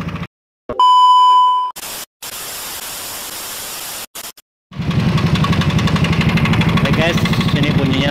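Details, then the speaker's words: Yamaha NMAX scooter at idle after start-up: coarse, rapid tapping over the low beat, rough abnormal engine noise; suspected worn piston and bore needing replacement, engine to be disassembled. "bunyinya lumayan kasar ya. Kita pantau bersama-sama di manakah penyakitnya."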